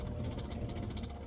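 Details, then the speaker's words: Ford F-150 3.5L EcoBoost with 6-inch lift and 35-inch tires, crawling. Fast, light ticking slaps over a low rumble, keeping time with the shaft: a zip tie left on the drive shaft as a prank is slapping. "So, I'm turning back around and I'm going to pull up so Cory can snip the drive shaft off, uh, the the zip tie off the drive shaft."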